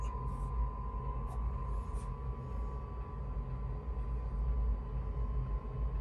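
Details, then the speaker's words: Chinese diesel combination water heater/furnace newly installed in an RV bus, cold shop, blower just turned up to high: steady hum ramping up, clear even tone over a low rumble, no knocks or rattles; running normally and making heat. "all right we're making heat i just turned the fan up to high you hear it kind of ramping up"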